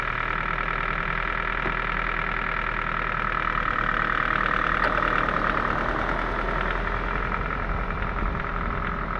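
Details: Ford 1.6 engine, warm but restarted after a 10-minute stop: a faint, uneven ticking knock rides over a steady idle with no change in speed; something knocking inside the engine.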